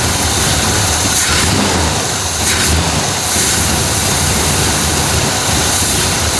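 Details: 1968 Chevy Malibu V8 with Quadrajet, after fixing a flooding start and resetting a modified distributor advance to stock parts with 12° base timing; steady, even idle with no misses, knocks or hunting under background hiss, settled and healthy.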